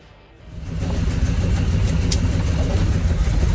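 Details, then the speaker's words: 1967 C60 on C30 frame V8 with new Edelbrock carburetor, new plugs and wires, starting outdoors: catches quickly and settles into a lumpy idle with an uneven stumble, a misfire; owner suspects a burnt spark plug wire. "It runs pretty good. It does have that misfire. Pretty sure it's a burnt spark plug wire, because it's got brand new plugs, brand new wires"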